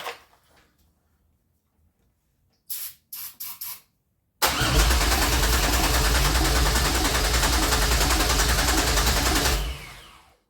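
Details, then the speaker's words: 2004 Pontiac Grand Am with a swapped 3800 supercharged engine and 5-speed, first start attempt after wiring the engine harness, fuel fed directly into the throttle body: clicks, then steady cranking that never catches; cranks but won't start. "It is not wanting to start now. She was so close, so close."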